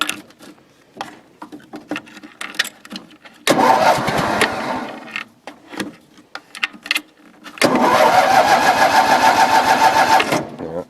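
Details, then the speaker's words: Cold engine, just refueled with a bunch of gas. It cranks, catches and stumbles unevenly, then settles into a fuller, steady run once more choke is given. Cold-start stumble from insufficient choke. "It wants more choke, so we'll give it more choke."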